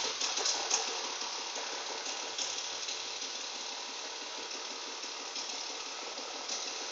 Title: BMW E36 1998 328i Engine knocking